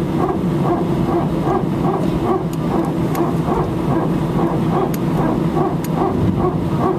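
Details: Air France A319, flight AF2487 Sofia to Paris, 15/01/2012, recorded from cabin seat 18F while taxiing for take-off: loud bark-like pulses roughly twice a second over steady cabin hum; strange repetitive barking noise, source unknown.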